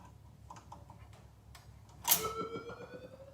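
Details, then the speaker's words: Nitro Ground Shaker pinball, in storage since about 1981, first power-up after only CPU board replacement: soft irregular clicks, then a sharp ringing chime as credit registers; credit switches and stepper work normally. "that sounded like a credit to me so the credit switches are working"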